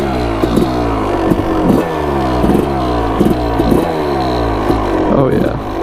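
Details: Suzuki RM250 two-stroke dirt bike, bought cheap, starting and blipped up and down repeatedly; crisp, clean revs with no misfire or bogging.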